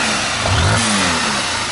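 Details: Honda Titan 160 Start single after replacing the destroyed intake roller rocker arm bearing (both rockers replaced, valves not yet adjusted): quick clean rev blip rising and settling with no top-end clatter; running healthy.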